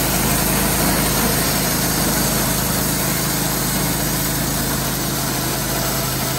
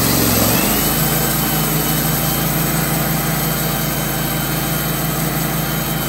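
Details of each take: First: Wood-Mizer LT15/LT40 sawmill running: a steady rumble with a faint dry squeak and vibration on top. A band wheel bearing is in its first stages of failing; when bad, its dust cover comes off. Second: Wood-Mizer LT15/LT40 sawmill after bearing replacement, shaft polishing and refitted belts: engine fires up into an even, steady drone with no grinding or rumble from the wheels. Normal running.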